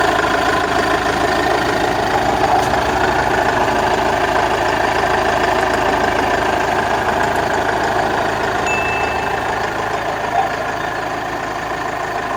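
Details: Toyota Corolla Verso 2.2 D4D diesel, checked for a dull engine rattle on throttle lift-off: even diesel clatter at steady idle, no rattle or knock; engine sounds healthy.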